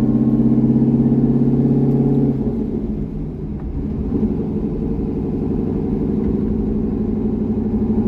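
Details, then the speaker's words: C6 Corvette V8 with aggressive cam and long-tube headers, on a revised HP Tuners tune (idle about 80% done): deep, even burble settling smoothly as revs drop, no stumble or hunting. Normal idle and part-throttle running. "Well, that went a heck of a lot better. And as you just saw, with a few targeted adjustments to the C6's tune, it actually has pretty decent street manners."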